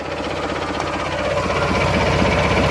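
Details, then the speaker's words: Kohler Magnum 18 engine in a Craftsman GT6000 tractor, last run before removal; started with a jumper pack; even steady chatter at constant speed with no irregular knocks, running smoothly. "smooth will shut her down here and it'll be the last time it runs in this tracker"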